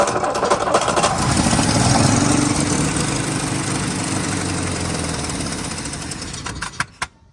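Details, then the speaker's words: 1961 Plymouth Valiant 225 slant six, first start after 30+ years, carburettor primed: catches, runs loud and lumpy with uneven beat, then cuts out; rough running, large open vacuum line found afterwards. "That sounded funny."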